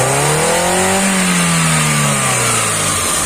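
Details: Hyundai i10 with CNG fitting, low performance: engine revs up and drops with an uneven, lumpy one-cylinder misfire note; spark plug cable found broken.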